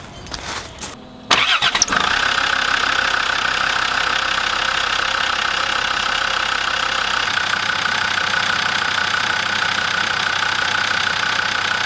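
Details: Land Rover Defender TD5 diesel cranks and settles to idle with a constant high chirping twitter from the idler pulley bearing, heard after belt tensioner replacement and before idler pulley and fan belt replacement.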